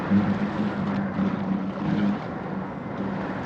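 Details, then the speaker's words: Foil Drive electric hydrofoil motor, two-blade prop, submerged at 65–68% throttle into wind: even, steady drone with low hum near 200 Hz over water noise; normal quiet cruise. "So, this is the motor submerged and it's nice and quiet. And I'm deliberately trying to keep the motor in the water."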